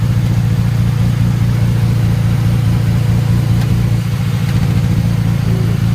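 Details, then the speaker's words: Infiniti G35 sedan (VQ35DE) with failed original engine, no check-engine light: heavy uneven low rumble at idle with irregular stumbles a couple of times a second and engine shaking badly; rough stuttering idle, engine considered done. "But it sounds very bad. It's stuttering real bad right now, as y'all can hear. You see the engine shaking like real bad right now."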